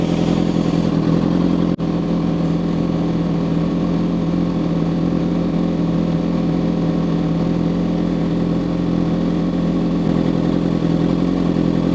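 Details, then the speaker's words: Suzuki GSX-R750 with a savage intermittent misfire, warming on fast idle toward 100+ degrees with the fan on and a big gappy exhaust: a steady, even idle for about twelve seconds, then it dies abruptly with no stumble. Suspected intermittent electrical fault. "Oh, there we go. [ __ ] like that. Instantaneously just stopped from a perfect idle."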